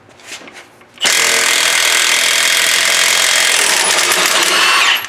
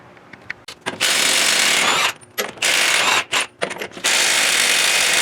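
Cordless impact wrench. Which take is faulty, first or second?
second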